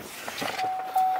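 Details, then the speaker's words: Power window on a truck scraping as the glass travels: a steady motor hum under a rough, gritty, sandpaper-like drag of the glass rubbing its channel. "I wonder you could hear you could hear the window is scraping you hear this one man it's like sandpaper horrible"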